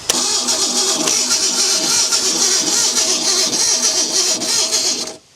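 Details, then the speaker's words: Ford Bronco II cranking: starter turns evenly at about three and a half beats a second for five seconds and never fires; spark plug test shows no spark, coil power being checked. "Yeah. We don't have no spark."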